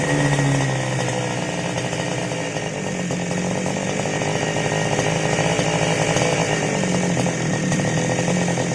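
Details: Two-stroke grass cutter that previously would not start, after carburetor cleaning: revs with a buzzy, fairly steady drone and no misfires or sputtering; running normally.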